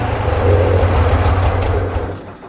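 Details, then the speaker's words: Flood-damaged Corvair newly converted to custom fuel injection, idle still untuned: rough low rumble sags and dies within about two seconds; engine stalls before throttle is used, needs idle tuning. "well well it died before I did so a little bit more work to do before you start playing with throttle but let's get it idling well and then we can start uh messing with it some"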